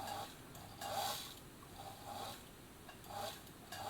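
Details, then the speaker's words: 1965 Bernina Record 730 sewing machine not driving: motor pulley spins inside a too-loose drive belt, giving faint rhythmic squeaky rubbing about every three-quarters of a second; fix is tightening the belt via its Allen screw. "it just the spelt so loose that the motor pulley is just spinning so what we need to do is we need to tighten this belt here up"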